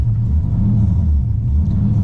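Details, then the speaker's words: LS V8-swapped Nissan 240SX S13 on its first drive, warm: deep V8 rumble at a fast idle that swells and sags every fraction of a second, a hunting idle surge that stops when put in gear; fine when cold. Owner notes it also idles really high, cause unconfirmed. "put it in gear though and look no surge only when it idles but it's got a crazy surge"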